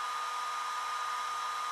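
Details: iSDT Q6 Pro smart LiPo charger (300 W, up to 6S) discharging a small pack to 3.8 V storage voltage at about 0.9 A: steady, even whir with a thin constant tone, no pulsing or rattle; cooling fan running normally.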